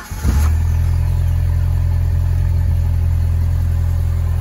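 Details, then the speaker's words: 1994 Jeep Wrangler after ECM capacitor repair for a morning no-start with high idle: fires almost instantly, then a deep, smooth, steady idle with no high-idle flare. Normal start. "but for the initial startups a couple of times it fires right up quickly"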